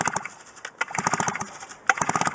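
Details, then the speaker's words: Kawasaki TD33 recoil start being pulled with spark plug only finger-tight after cleanup: uneven clicking ratchet bursts, engine turns over against firm compression, not seized, so compression is present. "that's what it sounds like so there is compression on this because when I put that spark plug back on fingertight and then I go to pull it I have hard time so that tells you that there is compression"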